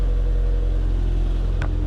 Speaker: You heard that little flutter, so I'm pretty sure that's an exhaust leak, because if I rev it, it goes up a little, but then it disappears. Right now, the engine sounds perfect, but at low RPM, it's got that little flutter.